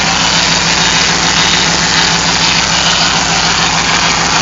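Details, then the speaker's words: Hemi V8 first start after aftermarket cam install, idling with steady hiss and constant whine from power steering pump that was drained and low on fluid: power steering pump whine. "sounds like this power Ste talk with making that noise yeah that's what it is I drained the power steering it's just whining isn't it"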